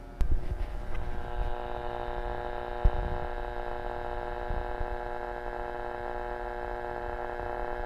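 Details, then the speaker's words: 1940 Zenith 10S464 antique tube radio, first power-up on a variac at 75 volts: a low, steady hum comes up from the speaker, normal, showing high voltage is reaching the set. "seventy five volts now we'll probably start to hear some humming from that speaker soon and when we do that'll tell us we have some high voltage"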